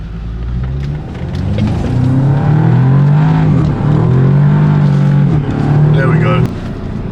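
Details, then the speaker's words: Audi S3 that was heavily misfiring, after an oil service, new spark plugs and new coil packs, with fault codes cleared. Engine revs up and drops back smoothly with a clean, steady note and no stumble or misfire. Revving normal after the repair. "there we go guys so no more misfire guys now it's all normal again all it needed was those coil packs and now we are running at full 100% again"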